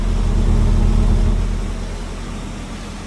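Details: 1987 Volvo 240 GL wagon after an estimated 5+ years sitting, smoky garage: low, uneven, lumpy wavering idle beat that fades as it settles; rough idle, cause not confirmed.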